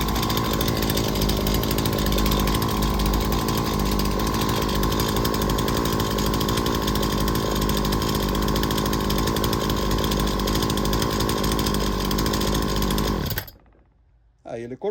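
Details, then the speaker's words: Small two-stroke engine during an ignition electrical diagnosis: a steady high buzzing run holding even speed for thirteen seconds before cutting out. The spark gap opened to about 5–8 mm, which is normal, so the ignition module is excellent. "Vamos ver quanto que abriu 5 6 7 8 mm e normal esse módulo está excelente"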